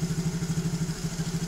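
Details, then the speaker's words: Freshly assembled Yamaha Mio GT fuel-injected scooter engine at idle: fast, even light ticking about eight to nine per second. Valve clearance was deliberately left loose and will be readjusted tighter later. "suara gemericik sedikit itu di bagian klipnya Sengaja saya longgarkan dan besok kita akan Steele kembali ya"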